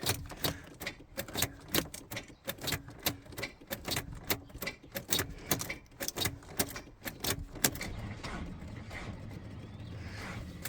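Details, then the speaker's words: 1992 Volvo 460 turbo, first start after engine removal and manifold gasket change: steady sharp clicks two or three per second with no cranking; starter clicks but won't turn. "all right honey come on nope click click click"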